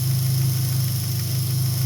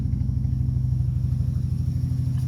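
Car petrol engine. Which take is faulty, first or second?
second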